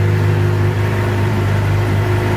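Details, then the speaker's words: Suzuki GSX-R750 after fixing a knocking noise under the stator cover caused by a loose screw; oil changed, filter not changed. Steady, even low hum at warm idle with no tapping or knock: normal idle. "which I doubt because I didn't change the oil filter but she's sounding pretty good"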